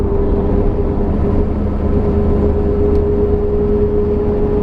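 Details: Pontiac Firebird Trans Am third-gen rear posi/limited-slip differential: steady mid-pitched whine over road and engine noise while pulling, loud under load.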